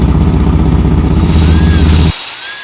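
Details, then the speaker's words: 2004 Chevy Blazer, hot, after refitting a broken muffler bolt: loud raspy idle with puffing chuff each firing, still noisy because the muffler gasket is gone, leak not fully fixed; exhaust leak at muffler gasket. "sounds different still pretty noisy cuz that gaskets gone in"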